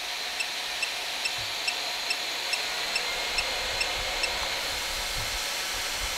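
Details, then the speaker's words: Geeetech Thunder 3D printer, main and rear cooling fans switched on after heat-up: loud steady airy rush with faint regular ticks about twice a second; normal cooling fan operation, just very loud. "now we're going to turn on the fan so that is the main cooling fan here we don't have the back one on yet let's turn on the back one as well"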